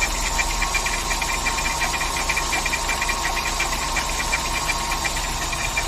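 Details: VW Saveiro G4 with AP 1.6 engine, valve cover removed: fast, fairly even light ticking over a steady idle; engine knocking noise, owner suspects a pulley or timing belt related part, cause not yet found.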